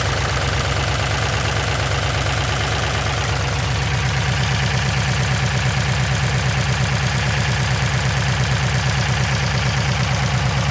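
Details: LQ4-swapped LS V8 with Stage 3 BTR truck cam, beehive springs, DOD delete and LS7 lifters, heard under the hood: rapid even ticking in time with the lumpy cammed idle; valvetrain tick, owner suspects low oil pressure.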